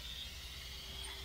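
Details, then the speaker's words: 1984 International cabover semi tractor: constant sharp hiss of escaping air over a faint low hum. The leak comes from the parking brake, a bad valve, either that valve bypassing or one of the tractor valves. "So that track, that air escape is coming from the parking brake. Yeah, it's got a bad valve somewhere."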